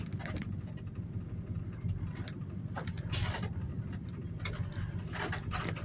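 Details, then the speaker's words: 1986 Dodge W150 with pushrod V8 after a mechanical fuel pump replacement, test drive: low, steady V8 rumble under road noise, no stumble, knock or surging; running fine. "We'll go for a little test drive. All right. Sounds like it's good. Running down the road."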